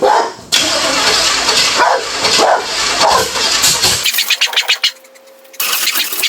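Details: Budget Beater Chevelle, sitting since 1987, on its first start attempt after brake and hose work. The engine churns and catches in ragged bursts, stumbling and dying, slow to fire. The owner suspects ignition timing, with the distributor cap about two teeth off its mark.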